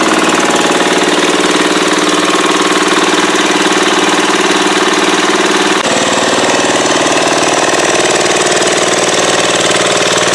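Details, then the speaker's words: Cub Cadet tractor converted to a turbo diesel, running out in the yard with the throttle up; loud, hard diesel clatter at a steady fast rhythm over a heavy shaking beat; the owner suspects an out-of-balance driveshaft, maybe the diesel itself. "um it shakes like you will not imagine I'm pretty sure it's the drive shaft is out of balance but maybe it's the diesel"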